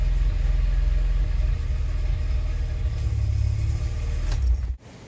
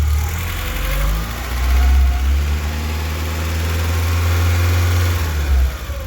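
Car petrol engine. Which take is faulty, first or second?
second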